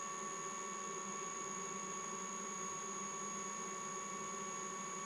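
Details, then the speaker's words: Mikini 1610L mill, 2 hp AC inverter-duty motor on Hitachi sensorless vector VFD at low frequency: faint steady high-pitched whine over quiet motor, no knocking; likely a frequency artifact that smooths out as speed rises. "at the lower frequencies you start to hear like um like a frequency artifact"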